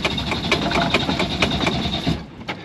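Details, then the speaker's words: Sailboat Yanmar diesel after a fuel system breakdown, cranked on the starter to prime and bleed air: steady cranking with a few firing beats that never take hold; air in fuel. "okay at least it tried to kick over it caught a it caught a couple yeah"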